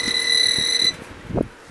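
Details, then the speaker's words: Pop-up camper power inverter on a very low battery: loud steady high-pitched beep for almost a second, then the inverter cuts off; low-battery alarm and shutdown. "yeah the inverter is really going crazy right now battery's getting really low but uh I'm going to wire this in and I'm going to use this light switch G inverter just cut off"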